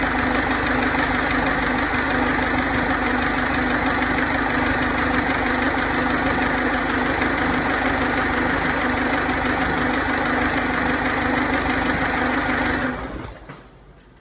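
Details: 2006 Ford 1.4 TDCi diesel at idle: a regular light knock, roughly three per second, steady until shut-off. Source not yet pinned down.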